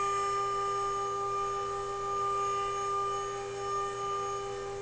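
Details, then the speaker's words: DIY CNC router spindle accelerating, picked up by a tone-tracing wand: steady pure high whistle rising with spindle speed, electromagnetic interference radiating through the frame and making X and Z stepper motors move jerkily. "when i turn on the spindle just the electromagnetic interference as the spindle is speeding up here the frequency very slowly wow there we go"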